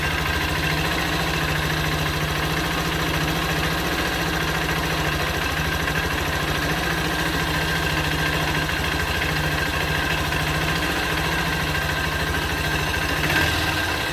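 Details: Motorcycle engine (owner says newly bought) at idle: low drone with gritty, uneven mechanical roughness; rough idle, cause unknown.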